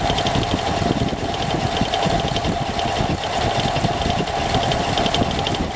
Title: engine noise